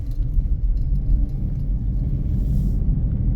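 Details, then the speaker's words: 2017 Chevy Equinox on the road: deep steady growl from the rear, louder and more intense with speed, persisting after tire rotations; owner believes a worn driver-side rear wheel bearing. "gets louder more intense the faster you go it's a couple different things that can be but I've pretty much narrowed it down to a wheel bearing and it's a real bugger to try to figure out which one it is but I think I know it's the driver rear wheel that's causing all this noise"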